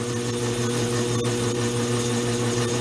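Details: Vintage 1920s Goodell Pratt Model 494 amateur lathe, cleaned up and running on heavier oil, cutting curly chips; steady, even motor and spindle hum with a light cutting hiss, no knocks or chatter; normal cutting.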